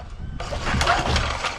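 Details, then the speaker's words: Old Rover lawn mower, unused over 10 years in a dry place, was running when stored, rusty with no oil: one pull-cord tug spins it through a few uneven compression puffs without firing, so it turns freely and is not seized. "okay that seems to sort of turn over"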